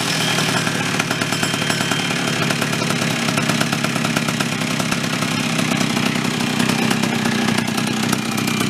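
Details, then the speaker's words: Chrysler Sno-Runner snow cycle two-stroke engine; harsh, raspy buzz at steady speed with a loud spitting edge from a missing exhaust manifold nut, to be replaced; exhaust leak. "Let's get a bolt for the, nut rather, for that exhaust, kind of shut that up a little bit."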